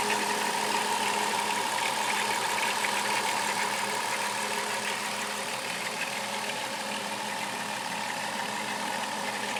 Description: Chrysler Town and country 3.3 liter engine rattling noise